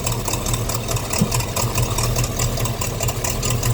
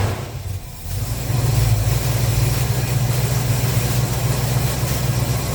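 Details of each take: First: 350 Chevy small-block V8 in a pickup at idle. Uneven puffing tick over a rough idle that sounds like an exhaust manifold leak, but exhaust is blowing past the intake manifold gasket where soot is visible. Fix: replace the intake gaskets. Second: 350 Chevy small-block V8 pickup after intake manifold gaskets and fan clutch replaced, first start on choke; deep steady rumble holding an even idle with no ticking, puffing or misses.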